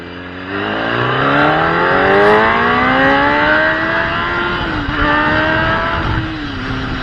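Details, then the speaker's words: Gen 1 Kawasaki ZX10R road test after replacing the fuel pump and fuel filter sock: engine pulls cleanly, pitch climbing smoothly with no stumble or cut-out. The mid-range cut was the sock or the pump. Normal acceleration. "right, so there you guys have it. As you just saw, the problem was either the fuel sock or the fuel pump itself."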